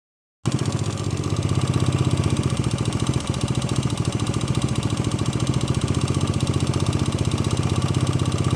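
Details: 125 CBS motorcycle engine at steady idle with a sharp, regular clack on every engine cycle riding over the exhaust note; engine clacking noise, cause undetermined.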